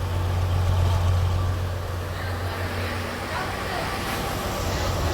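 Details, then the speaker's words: 1953 (or 1952) Chevrolet pickup, carbureted and revived after 15–17 years parked on non-ethanol gas, recorded at the tailpipe. Low, even exhaust burble with a steady beat and no misfire or stumble. Runs normally. "And this is the perks of non-ethanol gas. This truck got parked 10, 15 years ago and it never had ethanol gas put in it."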